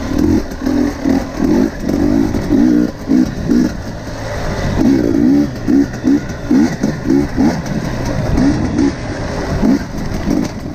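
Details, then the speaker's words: KTM 250 XC-W TPI two-stroke after the failed crankcase pressure sensor was dealt with; before, it loaded up and sputtered at low rpm. Now short, sharp blips rise and fall cleanly from a steady idle, no bogging; crisp low-rpm throttle response. "so you can hear it immediately it's running crisper the throttle response at low rpms is really good and yeah i just totally fixed it"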